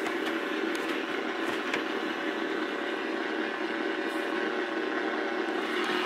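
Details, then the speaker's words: Early-1980s GE clock radio on the AM band: steady hissing buzz with a faint mid-pitched tone over the station; electrical interference, owner suspects the computer; source unconfirmed. "it's generating a lot of uh electrical noise and i'm gonna i wanna show you something"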